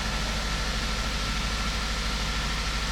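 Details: 2003 Toyota Corolla 1.8 with crank-no-start: engine catches and holds a steady, even idle with smooth low hum after the insurance company's ALDL plug-in adapter was disconnected; suspected cause of the no-start.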